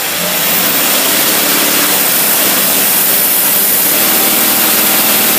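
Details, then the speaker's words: Marine engine with Holley boat carburetor on test, under load: steady hard-pulling straining note with hiss and water noise, runs smoothly without misses; wrong carb gasket identified as the earlier problem. "that motor straining she's big old fat water skis on that flight"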